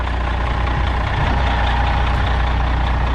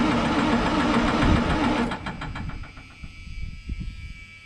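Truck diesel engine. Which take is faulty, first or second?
second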